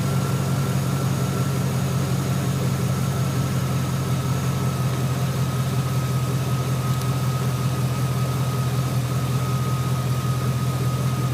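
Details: 2003 GMC Sierra SLE 4.8 L V8 at idle after fitting a used remanufactured 105 A junkyard alternator: smooth, even drone with a faint steady whine; dash reads 14 V, no battery light, 13.2–14.2 V measured, charging normally.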